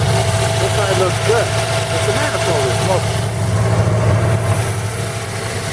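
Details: 1940 Buick straight-eight, first start in 30 years after a valve job (rings good on leak-down): smooth, even steady rumble, no knocks or ticks; running fine, spilled oil burning off manifold.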